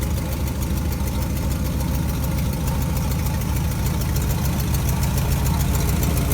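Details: 1957 GMC 370 2-ton truck, original Pontiac 347 V8, revived after 20 years sitting, idling on its own tank: sharp, rapid ticking puff on each firing pulse, about three a second; exhaust leak from the blown exhaust donut.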